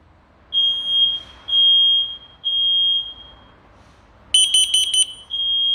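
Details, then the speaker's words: New smoke detector sounding after smoke test; loud high-pitched sub-second beeps about once per second, second alarm joining near end; detector responds properly to smoke. "He bu da öttü arkadaşlar Evet bu da böyle ötüyor değişik güzel operasyon başarılı"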